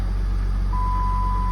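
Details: 2007 Jeep Grand Cherokee Limited CRD, 3.0 Mercedes OM642 turbo diesel, running after a tape repair aimed at clearing limp mode; other codes remain. Steady, deep, smooth idle with a thin dash tone over it, no hunting or knock; normal idle.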